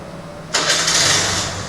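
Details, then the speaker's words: TVS Scooty Pep+ that previously stalled when throttle applied, now after CDI unit and new carburetor fitted: brief silence, then engine catches cleanly and settles into even, steady run, revs well, wheel spins freely. Normal start; carburetor was the fault. "బండి start అయింది good rice అవుతుంది చూసారా wheel కూడా మంచిగా తిరుగుతుంది"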